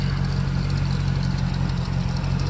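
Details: 2008 C6 Corvette 430 hp LS3 V8, 35,274 miles, 40 psi oil pressure: deep steady idle, even rumble, no ticking, knocking or stumbling; healthy engine in top shape.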